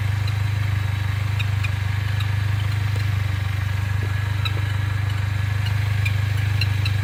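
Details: Mercedes-Benz A45 AMG, fully warm after tens of km driving, on a certain road: deep steady engine drone with irregular faint bird-like chirps; intermittent chirping noise, cause unknown.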